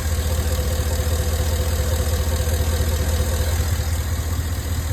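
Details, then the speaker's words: 2011 Cadillac Escalade 6.2L V8 with AFM, 178k miles, after lifter-tick treatment and intake manifold cleaning: steady even idle, smooth low rumble, at most slight tick; no misfire, no codes. "but I'll take that that's okay as long as it's not misfiring I have no codes"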